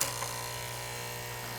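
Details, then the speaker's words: Espresso machine vibration pump during priming, not pumping water: steady thin unloaded buzz with no labouring, indicating an air pocket; pump air-locked, not drawing water until manually primed. "we heard the pump noise motor before we that sound was actually pretty good and indicated that there's an air pocket in the pump"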